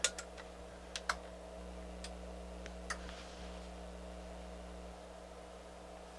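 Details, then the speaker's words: NAD C350 amplifier after all capacitors replaced, power-on test: sharp irregular clicks over a faint mains hum as inputs change, protection relay clicking in and out and indicator going red; fault still present. "you can hear the relay is clicking as i change and then it went red again what's going on maybe we still have a fault"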